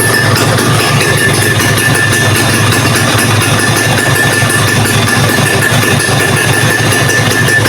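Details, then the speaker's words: Vespa PX150 two-stroke after rebuild, CDI coil refitted and wiring renewed, started to check ignition timing (set 19° BTDC): steady even buzz, no knocks or misfires; running cleanly, intake still somewhat tight. "Kita nyalakan dulu teman-teman motornya. Bismillahirrahmanirrahim. Sudah menyala."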